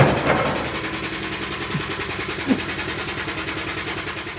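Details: Transit Liner bus front end rocked: quick rhythmic knocking about three per second from badly worn king pins and a shot steering gearbox; steering wheel play, clunks and pulls right under hard braking, clunks and pulls left on an emergency stop; fan mitre gearbox also toast.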